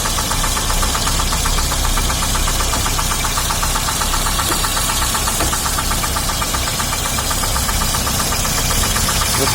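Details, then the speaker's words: 2006 Daewoo Sens at idle, started on petrol then switched to gas (LPG): light, uneven tapping of two or three knocks a second; engine knock, some suspect a bushing, others the crankshaft, unconfirmed. "там щось стучить, бачите? Одні кажуть втулка, другі кажуть коленвал."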